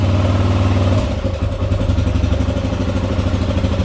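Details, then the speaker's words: 2018 Kawasaki KLR 650, 651 cc single-cylinder with Leo Vinci exhaust, just started on a little choke: loud even thump after a blip, settling to a steady beat about three per second; fairly quiet, healthy idle. "Even with the Leo Vinci pipe on here, it's kind of quiet, which if you are on some public roads, you know, out in the woods, that's not a bad thing."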